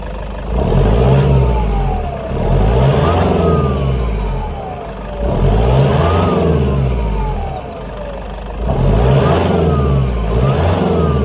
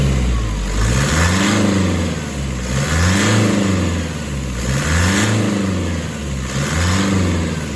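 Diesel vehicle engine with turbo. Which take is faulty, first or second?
first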